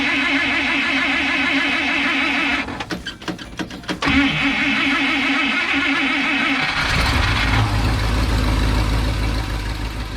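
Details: 1955 Buick Super after installing fuel pump, fed from a temporary tank raised above the pump; cranks a few seconds, catches, holds steady even idle; fuel delivery keeping up, normal idle.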